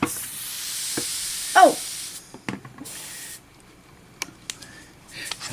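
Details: Bicycle inner tube: steady hiss of escaping air for a couple of seconds, then handling noises; leak at the base of the valve stem, repair attempted anyway.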